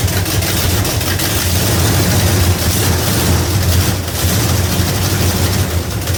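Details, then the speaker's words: 1971 Dodge Demon with rebuilt 1974 318 V8 (273 heads, Edelbrock intake, Holley 750, 904 transmission), cold start at 30 degrees: loud lumpy idle with sharp irregular puffs and ticks from leaking exhaust header gaskets. "This is a cold start, and it is 30 degrees here. And sometimes got a mist and exhaust leak,"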